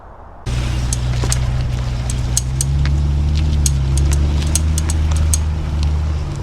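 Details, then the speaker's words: C8 Corvette with wheel spacers, ticking only at low speed with the wheel turned: faint, uneven sharp ticks over a low engine drone. Suspected cause is brake dust between wheel, spacer and hub; fix is cleaning with brake cleaner and scrubbing. "All right, guys, so one of the culprits for that when you're turning may very well be brake dust that gets in between the wheel and a spacer, or between the spacer and the rotor and the base hub here."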